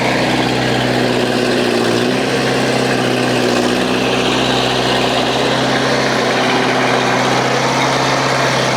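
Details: International Harvester 674 tractor diesel idling after a new clutch, pressure plate and resurfaced flywheel were installed: deep, steady idle with an even low drone, no clunks or grinding; sounds healthy.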